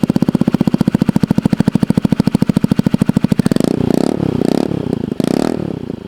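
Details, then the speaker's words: Honda Ruckus scooter after repairing broken exhaust weld on short exhaust: crisp even single-cylinder putter at idle with throttle blips rising and dropping cleanly; sounds better than originally, healthy sealed exhaust. "It's not too terrible. It actually sounds better than the original way this exhaust worked, and hopefully it will stay out of my way a little bit better than the way it was before."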